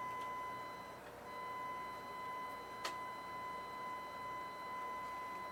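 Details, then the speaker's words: Behringer GMA106 guitar amp, 1 kHz tone at about 100 mV peak to peak, gain being adjusted: buzzy gritty tone with a dropout and crackle; gain pot suspected; low volume traced to signal failing at second stage of L885D input op amp. "You hear how that's distorting that as I adjust the gain? There might be something wrong with the gain pot."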